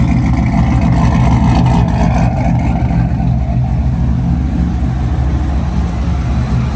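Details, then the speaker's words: Cammed Corvette LS7 after replacing failed cheap lifters and damaged cam, good oil pressure: deep, lumpy idle with steady loping rhythm and no lifter tick or clatter; normal. "Sounds good. Go check and see how this thing drives."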